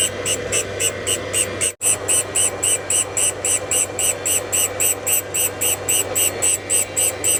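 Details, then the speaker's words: Valve refacing during a rare GMC 302 inline-six rebuild: rhythmic hit-and-miss grinding pulses as the valve face touches the stone only partway round, missing a dark spot; valve face not fully contacting the refacing stone. "And you You hear it in the grind. You know, when it goes past and going round and round. That's hitting and then not hitting. That black spot it's missing it."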